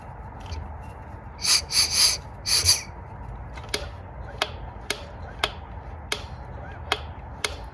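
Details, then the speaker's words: 2002 Polaris Magnum 500 ATV engine that smoked badly and knocked, turned over by hand with top cover off: sharp single click about twice a second, seemingly linked to the exhaust rocker; top end ticking, exact cause unconfirmed. "click is there seems to be connected to the exhaust rocker keep going"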